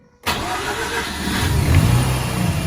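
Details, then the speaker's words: Mazda RX8 rotary after fitting a K&N Typhoon induction kit in place of the original airbox (it sounded pathetic before): starts instantly and revs smoothly with a deep, loud intake roar, no misses; remarkable difference, normal start and rev. "Let's see what it sounds like now. Yeah, well, that's a remarkable difference."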